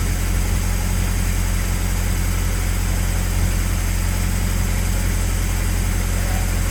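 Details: Car after swapping in a used water pump from the old engine to fix a coolant leak, timing belt covers left off: deep steady idle, even low throb, no ticking, knocking or stumbling; no leak, timing good.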